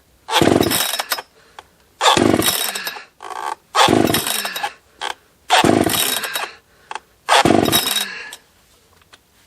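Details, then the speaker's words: Husqvarna 281 chainsaw, not run in a long while, first firing after service for top-end crackling and breakup: revs in crisp repeated bursts about every two seconds, clean high-pitched scream with no crackle or breakup; normal running. "it has been a long while since I've had this one fired up so this is uh this should be interesting"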